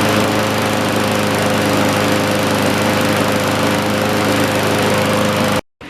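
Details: John Deere push mower, believed 1960s–70s (exact year unknown), saved from scrap, first fire-up: steady, even drone holds for over five seconds with no misses or hunting, then cuts off; run before an oil change. Normal running.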